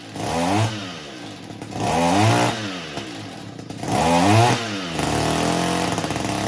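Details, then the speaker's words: Echo two-stroke weed eater that kept stalling, after the high-speed mixture screw under the carburetor bowl was turned slightly counterclockwise: it revs up cleanly in repeated bursts and settles back without stalling, running fantastic now. "That's it. Runs fantastic."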